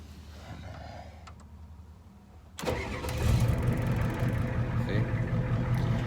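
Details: Ford 7.3 IDI diesel that sat unused all winter, cold start after waiting for the glow plugs: a quiet wait, a short crank, then it fires at once into a deep, steady rumbling idle; clean cold start.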